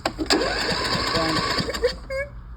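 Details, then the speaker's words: John Deere D140 lawn tractor, parked running and unused about four years, new solenoid and spark plugs fitted: cranks with an even beat but never fires; no start from clogged fuel filter and dirty carburetor. "it's cranking, but it won't start. All right, new solenoid, new spark plugs, new fuel filter. Clean the carburetor out."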